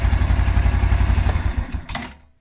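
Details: 2022 Honda Super Cub at steady idle: small single thumps with a light knock riding the engine beat, which the owner suspects comes from the clutch plate area; the knock goes away when revved and returns as rpm settles, hot or cold, with nothing feeling loose.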